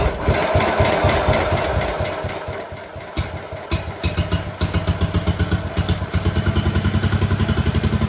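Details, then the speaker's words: Red 1962 Bolens Ride-a-matic tractor, small petrol engine, after repairs, started with some choke: catches and settles to steady even idle around 220 beats a minute, no knocks; normal start and idle. "we are back in the workshop now uh because just after that last clip where it was running very well uh we stopped the tractor"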